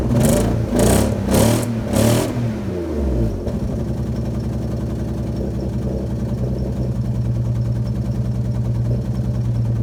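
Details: Alfa Romeo GTV V6 started after being parked a few months: after a few blips the idle settles into an uneven, lumpy pulse about twice a second; rough running, owner suspects misfire, not confirmed.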